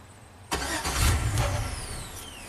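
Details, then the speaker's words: 2003 Chevy Silverado Classic V8 with intermittent no-crank, bypassing the ignition switch yellow wire with a test light: starter whirs about two seconds, engine turns over but won't fire; dash reads theft deterrent enabled. "okay it's saying theft theft enabled"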